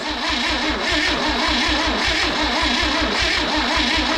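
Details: Freebie 235 inline six after new points and plugs: steady rhythmic cranking beat under two turns a second, never catches and runs; cranks but won't start.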